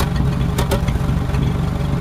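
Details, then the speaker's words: 1923 Fiat 501 during restoration, valves just re-adjusted, running with half the body off, not yet hot: low idle with rhythmic chuffing chop through the exhaust, slightly uneven beat. Cause of the chop not confirmed. "you'll see the valves are better adjusted you can hear that hear it chop in a bit"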